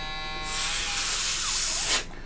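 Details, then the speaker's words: Microsoft Surface Pro cooling fan: a thin, high buzzing whir that rises into a rushing hiss, pauses, then cuts off, as if trying to spin up. Owner suspects something clogged at the side vents; blowing into them helped briefly. "I want to do a video on the Windows Surface Pro fan noise uh it was kind of like buzzing like it's trying to like spin up"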